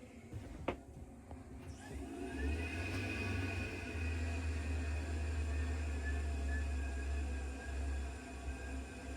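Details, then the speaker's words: Tankless water heater firing when hot water comes on: click, then exhaust fan spins up to steady low hum with faint rising whine, from about 46 to 54 decibels, then settles back down; normal startup. "it hit about 54. You could hear it ramp up and then it kind of goes back down. So that's kind of what you can expect."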